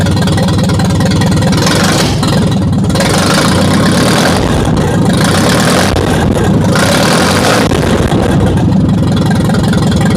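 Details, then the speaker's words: Ferguson TO-35 tractor, formerly seized engine, run with no exhaust fitted: a loud, raw open-pipe bark at a steady idle with even firing and no knocks or misses; it idles healthy, though the governor is shot. "But it idles good. It sounds great with no exhaust on it."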